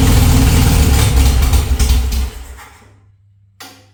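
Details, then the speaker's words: VW Beetle engine revived after cleaning the cylinders, run with no muffler, a little extra timing advance and choke: low, even chuffing idle with no misses. All four cylinders are firing and it sounds healthy. "Definitely running on 4. You can hear it. It sounds pretty good. It sounds healthy."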